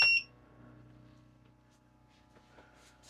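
One short, high-pitched beep at switch-on, then a quiet low hum as the air conditioner powers up normally.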